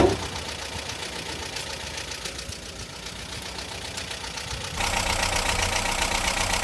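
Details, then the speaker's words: Talbot Express motorhome, stated as an '89 though also described as 1998, with ongoing engine problems: an even idle with a steady light clatter around four beats a second and no misses, which the owner considers normal. "personally I think she's quite quiet for an old girl she's an 89 so yeah she isn't going to be running as quiet as all the the modern engines should we say but all in all I don't think she's particularly noisy anyway I'll let you have a listen for yourselves"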